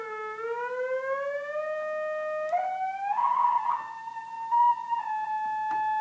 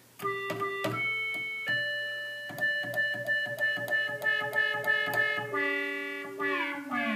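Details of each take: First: 1976 Octave CAT analog synthesizer, being restored after 25 years in storage: a held tone creeps upward and wobbles instead of holding steady because the main oscillator tuning potentiometer is dirty; it needs cleaning. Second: 1976 Octave CAT analog synthesizer after repair: clean sustained notes with solid low sub-octave and sliding pitch sweeps, no dropouts or buzz; VCO1 sub-octave works, earlier absence was due to VCO2 sync being on.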